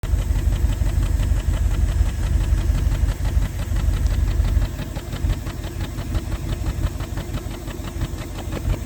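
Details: 1988 Bentley Eight at idle, listening at tailpipe end: steady low idle with irregular puffing pop about three a second, louder as hand nears pipe; suspected misfire in one or more cylinders.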